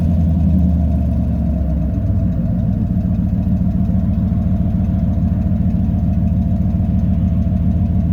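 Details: 1997 Chevy 3500 4x4 with 454 big-block V8, at running temperature after a cold start: deep, even burble at a steady idle with no misses, knocks or ticks; normal warm idle.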